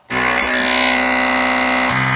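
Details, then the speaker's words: 1993 Geo Tracker with Yanmar diesel swap, sat 8 years: electric brake booster vacuum pump whine settles lower and slows as it pulls down vacuum on new line; normal slowing as vacuum builds, vacuum switch then adjusted. "It might just take it a long time to pump down everything. Yeah, hear it how it drug down?"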